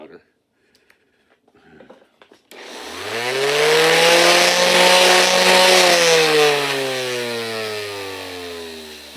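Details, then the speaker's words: Old random orbital sander, the owner's first one: motor whine climbs fast, holds steady, then sinks slowly over several seconds; a normal, slow spin-down. "it takes forever to spin down this is ancient this is like my very it's literally my very first one and only random orbital sander I've ever had to buy"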